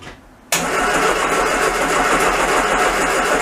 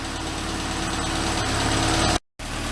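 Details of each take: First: Classic Mini van engine, first start-up after restoration: steady cranking about three and a half beats a second with no firing; no spark because the ignition coil has an intermittent fault, first suspected as fuel. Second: Classic Mini van first start after restoration, new coil had intermittent fault so old coil and HT leads fitted: steady even tickover, smooth low hum, no misses or knocks; normal idle.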